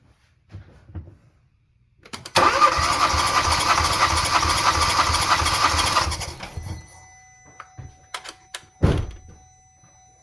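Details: 2016 Hyundai Tucson 1.6 L turbo with a cylinder 3 misfire, spark plugs out, compression test: starter cranks about four seconds with steady, even pulses; healthy cylinder reading 180 psi, unlike cylinder 3 with zero compression.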